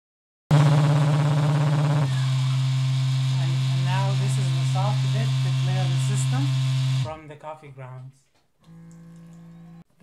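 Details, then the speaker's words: Orenda coffee grinder normal cycle: loud steady grinding motor drone for several seconds, then softer vibration hum for about 10 seconds as the automatic self-clearing run removes leftover coffee. "if you listen carefully you'd hear the loud grinding first and then soft vibration after for 10 seconds or so"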